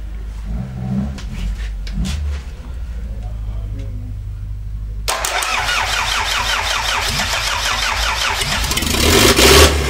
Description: Starting the old Land Rover 2,25 Diesel for the first time in a decade.